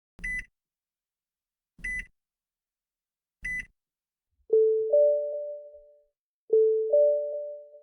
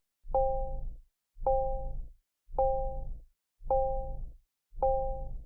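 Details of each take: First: Nissan in-car warning: for an unfastened seatbelt, three short high beeps, then two soft two-note chimes in which a lower and a higher tone sound together, part of Nissan's newer information sounds. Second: Nissan information chime from a piezoelectric buzzer, built on about 2000 Hz with an added 797 Hz tone and suppressed harmonics. Five soft two-tone dings about once a second, clean and steady with silence between: normal information chime.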